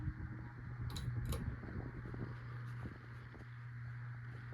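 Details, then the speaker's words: CEI HC-52 hugger ceiling fan, possibly Sears-sold: quiet steady low hum with faint rough drone and light ticking; bearing noise plus slight wobble noise. "It makes some bearing noise, and it wobbles a little bit which also makes some noise, and it blows okay amount of air."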